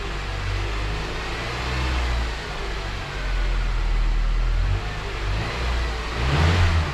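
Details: 2007 Honda Accord 2.4 revved after new O2 sensor replaced for misfire code; climbs and drops cleanly through several revs without stumbling or popping, then settles; healthy, no codes or check engine light.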